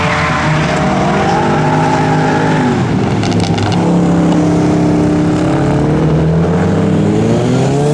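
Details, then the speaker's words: Boosted RWD Honda Civic at a drift track day, logs showing it getting very hot fast and pulling power: boosted howl over squealing tyres stumbles and dips mid-drift, misfiring under load; cause unknown, owner about to change spark plugs. "all right so it's breaking up being a pain in the ass i don't know what the deal is now everything checks out to be fine"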